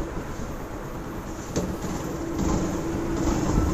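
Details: Yamaha SZ-RR motorcycle after timing chain and tensioner fitting and engine work: even, quick steady beat at idle with no rattle or ticking on top; engine running smooth and healthy.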